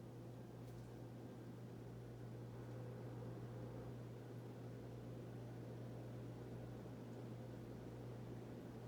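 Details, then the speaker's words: Hunter Original ceiling fan, three factory speeds, totally stock, running on high: steady low hum with an even whoosh of air and no ticking, wobble or scraping; normal operation. "so this fan has three speeds from the factory no modifications by me totally bone stock let's give it a whirl here's high"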